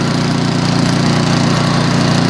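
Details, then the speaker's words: Craftsman 24-inch MTD snow blower, about 2010, just started after carburetor cleaning, float cleaned, screws tightened to fix gas leak and no-start: still on choke, smooth steady single-cylinder beat, no surging or sputtering; running much better. "It didn't take much. It's still running on choke. It's running much better."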